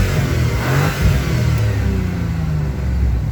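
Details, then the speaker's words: 1987 Chevrolet Camaro Z28 TPI, revived after sitting dead; one cylinder had been full of water, pressure good, suspected low on coolant with a hot wiring smell; engine revs up and drops back smoothly with an even note, no knocks or misfires; normal revving. "a great sound of motors but uh just just something else to work on it"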